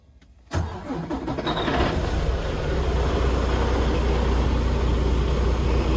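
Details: 2020 Freightliner Cascadia diesel truck after a no-crank, no-start fault was repaired (earlier starter, push-button and wiring replacements hadn't fixed it): brief crank, then catches at once and settles to a steady, even idle; healthy start.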